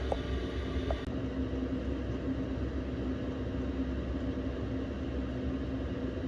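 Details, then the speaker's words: Cheap Chinese diesel heater newly installed in a Nissan NV200 camper van, first run in a cold 5°C van: steady blower rush over low even combustion rumble, fuel pump ticking audible; running normally. "the only thing I'll say is when the the pump's on you can hear the pump ticking it's a bit annoying"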